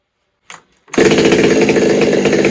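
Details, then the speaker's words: Stihl 200T clone (Holzfforma) chainsaw with exhaust mod and advanced timing, no tune, on a dyno pull: snaps to full throttle, raspy high scream with fast stuttery breakup at top; owner thinks it's hitting the limiter, possibly wants more fuel. "Listen to that thing. I think it wants more fuel. I think that's honestly just hitting the limiter a little bit there. That's all that is."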